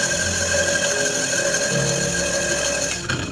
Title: Grinder motor bearing changing // Grinder motor heavy noise problem #grindermotor